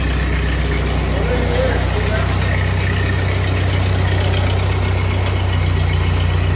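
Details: 1948 Ford 8N tractor four-cylinder after a full rebuild, idling in neutral after a choke start on a new carburetor still needing work: low, steady idle with even firing and no knocks or misses. Normal idle; a leak still to fix.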